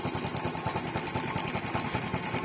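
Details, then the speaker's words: Yamaha Spark motorcycle that stalled at idle and stumbled while riding, after fixing the fuel tap (petcock) rather than the carburetor: small single putters at a fast, even idle with steady pulses, no stumbling or dying; normal again. "ลองปล่อยดูนะครับเนี่ยนะเล่นเพลงเครื่องฝอยปุ๊บตาไม่มีการดับนะครับกลับมาใช้ได้ปกติ"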